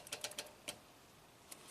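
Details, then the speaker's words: 2015 Toyota Camry 4-cylinder, 125k miles, U760E transmission, P2714 code: SL4 shift solenoid (6.3 ohms, pins 20 and 21) bypass test gives short crisp clicks, test light same brightness, no buzzing or chatter; solenoid checks out okay. "Okay, so let's touch the negative lead here. Hear a click, lights up the same."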